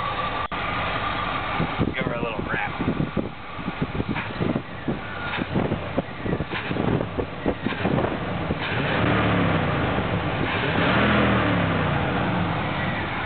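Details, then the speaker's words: Small-block Chevy V8 after intake manifold swap, first start-up: rough rumble with quick throttle blips that rise and settle cleanly; slight miss on one side suspected, possibly condensation in aftermarket mufflers; throttle response normal. "pretty good throttle"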